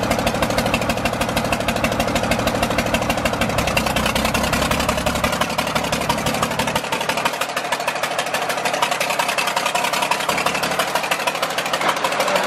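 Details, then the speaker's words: John Deere 4040 diesel tractor just revived after sitting for years: lumpy idle with a rhythmic stumble, one beat missing each cycle. It is not firing on cylinder number five. "there you have it guys our John Deere 4040 is alive it's not firing on cylinder number five"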